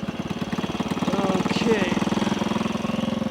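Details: 1964 Honda C200 pushrod single revived after sitting for years, carburetors cleaned, pilot jet was slightly clogged, kick started with fuel on: settles into a steady, even putter around three beats a second, no knocks or misses; idling cleanly.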